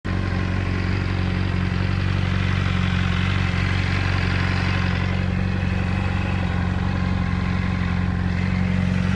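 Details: Honda CBR600RR at idle after cam chain and a manual APE cam chain tensioner were fitted: steady idle with a light, fairly even clatter that does not change when the clutch is squeezed; engine clatter, source unknown.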